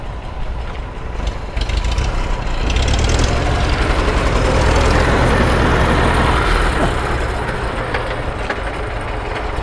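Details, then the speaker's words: 1924 Citroën C3 Trèfle restarted: soft, even idle with a steady, unhurried beat, no knocks or misses, barely audible; a quiet old four-cylinder running normally. "Bon, bravo Eric pour ce démarrage absolument parfait. Ça tourne comme une horloge cette ça affaire. tourne bien, hein. On l'entend à peine, enfin, ouais, ça tourne bien."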